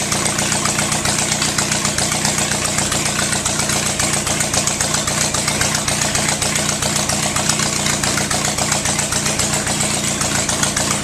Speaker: Well, that manifold, all the holes in it, makes a lot of noise.